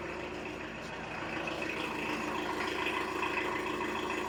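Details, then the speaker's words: 1986 VW T25 1.6 JX turbo diesel, stored since 2017, just started after bleeding and easy start: loud even diesel clatter at idle, steady rhythm without misses or knocks; idling normally, turbo clearing. "It ain't that quiet, is it? Brilliant. I'll keep that going for a bit. Sounds like a 40-year-old diesel. Nothing wrong with that."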